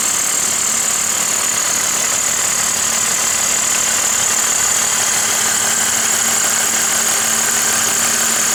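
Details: 2002 BMW 530i E39 with M54 engine at idle: light, fairly regular tapping about three per second over a hissy background; the engine knock later went away by itself.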